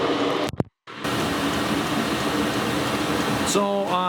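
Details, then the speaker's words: Diesel heater at full running power (full purge) with a small silencer fitted, meter reading 63–65 dB; steady even roar of fan and burner, no pulsing or popping, normal running before swapping to a large generator silencer. "currently reading or showing a sound pressure level between 63 and 65 decibels"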